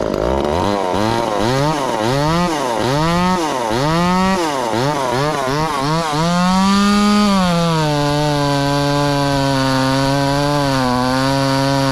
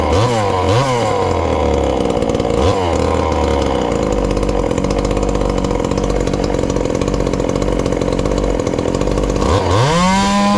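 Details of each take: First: Ported 2375 chainsaw running on methanol after carb mods and ignition timing changes, cutting dense wood: chugs with the pitch surging and dropping about four times a second, then holds a high steady scream. Owner judges it a little lean but not dangerously so. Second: Ported little 2375 chainsaw, still on its regular fuel and nearly out, before switching to methanol: burbly idle with a soft four-stroking lope, then a clean smooth rev. Runs well, slightly rich.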